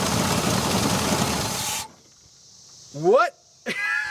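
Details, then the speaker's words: 1970 Ford Mustang V8, abandoned for years, plug wires restored to previous owner's layout, extra fuel added, transmission fittings not yet fixed: engine roars loudly and unevenly under two seconds before shutoff; first run, it fires. "but it runs we just had to trust what that guy did beforehand"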